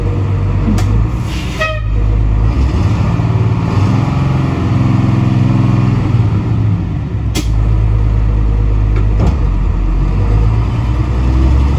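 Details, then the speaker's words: 1988 International/Thomas school bus diesel, sat in a junkyard for years, governor freed up, 120 psi air built: deep steady drone swelling with throttle and pulling evenly while spinning tires in mud, no knocks or misses; runs great. "so the good news is you know we got the governor freed up and she built air pressure she runs great fires right up"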